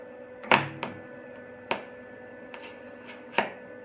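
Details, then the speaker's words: MIG welding with wire feed speed too low: sparse, irregular sharp pops over a faint hum instead of steady sizzle, wire barely coming out and burning back into the tip; fix by turning wire speed up. "so you see how that wasn't coming out hardly at all and it was burning back into the tip to slow learners feeling they turned up just a little bit so you hear that sound and it's it's popping"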